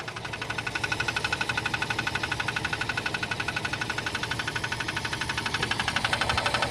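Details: Jeep Cherokee 4.0 (AMC 242) at idle: a sharp, regular ticking knock about four times a second, heard over half a year of daily driving. The cause was found to be a circular crack in the flexplate.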